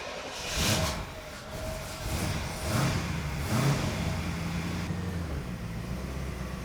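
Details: 1984 Chevrolet Corvette C4 Crossfire V8, revived after 20 years off the road: deep, steady rumble with smooth throttle blips and no hiss after brake booster replacement and brake light switch readjustment; hissing gone, sounds healthy.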